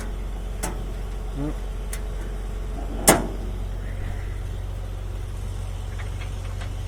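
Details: 125 mixer after fixing a fan blade and the hammers that were rattling and hammering: a steady, low, even drone with only a stray tick or two and hardly any vibration; running normally.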